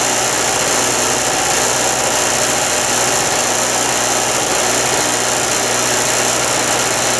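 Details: Harbor Freight mini generator, previously flooded from storage with fuel valve open, now running cleanly: steady, even high-revving buzz, no misses or surging, powering an electric heater; normal running.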